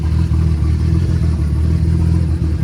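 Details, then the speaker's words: Nissan S14 RB25DET with new head, idling while warming up after coolant fill, oil on manifold and turbo burning off as smoke: steady even low burble, no knocks, ticks or misses; normal idle. "so yeah I'm going to get the water filled up and let her run for a little bit sounds good"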